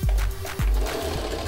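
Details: Singer oscillator sewing machine, after rethreading and bobbin tension adjustment for thread gathering underneath, sewing medium-weight scrap: soft even needle-bar thumping, steady, no catching or knocking; stitching normally.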